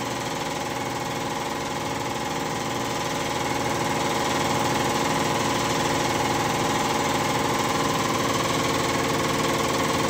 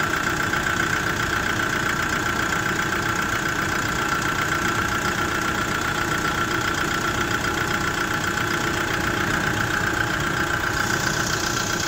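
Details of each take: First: Kia Bongo III J3 Euro 4 diesel after replacing all 4 injectors and cleaning filter and tank, done for misfire, vibration and black smoke: steady even diesel clatter at constant idle, no misses or knocks; normal idle. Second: Kia Bongo III J3 Euro 4 diesel at idle: a hard, slightly uneven clatter of about two to three beats a second, with vibration and black smoke, from bad fuel injectors.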